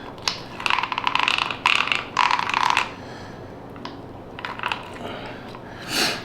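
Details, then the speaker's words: Axial SCX6 RC transmission spun by hand after greasing: short bursts of gritty ticking and whirring, clicking from a worn-out bearing; bearing and damaged front housing to be replaced. "now you can hear that clicking that's because that bearing is shot"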